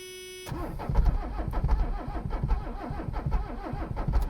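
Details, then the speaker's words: Abandoned Mercedes 300CD diesel cranked on ether, accelerator left alone as possibly stuck: steady cranking rhythm with an occasional heavier thump as one cylinder catches, never picks up. "Just gonna keep on trying at her. Get 1 cylinder now."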